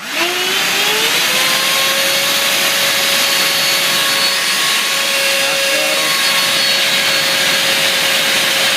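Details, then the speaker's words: Brand-new Genesis Power 2200mAh 6S 40C LiPo under a load test at half, then full throttle: steady high fan whine spooling up and holding. One cell sags to about 2.7 V. "Let's go half and then I'll yell out full. And I believe this cell dropped way below three."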